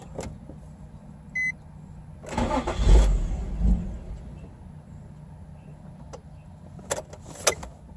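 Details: 2006 Nissan 350Z very hard start: chime, then a second or so of starter churning with no catch, engine stays dead; eventually starts later while pumping the pedal.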